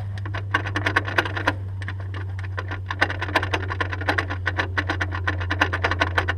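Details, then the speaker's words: Honda S2000 propeller shaft turned by hand: rapid dry clicks about four or five a second from a sloppy, worn driveshaft joint, worsening over time; shaft replaced with an OEM one. "it's become so bad now that if I believe it needs to be replaced"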